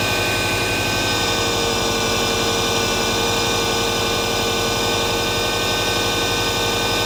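Boxer engine at idle with a fast, uneven light knock ticking over the exhaust note; the source isn't pinned down yet.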